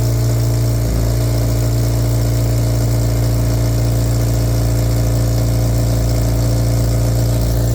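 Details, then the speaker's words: Honda DC5 at idle with a blown exhaust mid-pipe: loud, deep, raspy blowing drone with a puffing beat; exhaust leak, pending weld or new mid-pipe. "his you C it's blowing bad so like really [ __ ] bad but what's mad is the fact that despite the fact that it's blown really bad it now sounds like it did before it actually fell apart"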